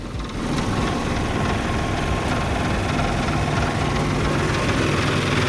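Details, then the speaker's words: Dodge Dakota loaded with heavy scrap, warm idle with AC off, running hot. Uneven, shaky low rumble pulsing about three times a second; owner suspects the fan clutch or electric fan, not confirmed. "why is this sucker vibrating like this"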